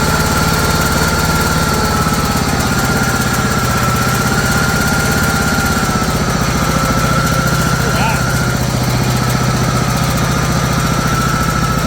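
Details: John Deere GT262 garden tractor after years sitting, battery fully charged: steady, even idle with regular low putter, no misses or knocks; engine runs smoothly at rest.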